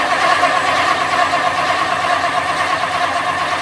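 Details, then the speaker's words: 1959 Lincoln cranks but won't start: steady starter churn with an uneven beat about once a second that never catches. The fuel inlet line is empty with no pressure and the fuel pump blows but doesn't suck. Suspected fuel pump and possible carb issues. "we got no suck so we have carb issues and possible fuel pump issues because there's no fuel coming out of that line"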